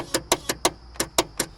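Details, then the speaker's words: Ride-on mower (John Deere/Exmark) on jumper cables after lubing the starter and cleaning a rusty terminal: sharp dry clicks about five a second, no crank. Solenoid clicks, positive cable runs hot from resistance; starter likely needs replacing. "the clicking is the solenoid making the contact"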